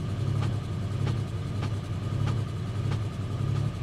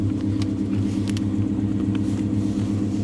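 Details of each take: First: Pontiac G8 GT V8 listed as a non-runner, running on a jump pack in snow: sharp light ticks about 1.5 per second over low idle rumble, an upper-end valvetrain tap; possibly linked to recent intake work. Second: Hemi V8 salvage car idling, check engine and ABS lights on: deep steady lumpy rumble, even pulse, no ticks or knocks; sounds healthy.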